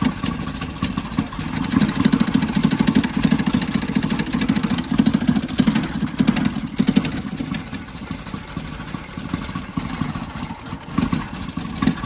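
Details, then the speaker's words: 1977 Toyota motorhome, engine fired up after sitting parked for months, possibly flooded: uneven lumpy idle with a loose tinny rattle that comes and goes, from the air cleaner housing after its mounting bolt was lost. "Turns out the reason it sounds so bad is I've lost a bolt that connected the air filter to"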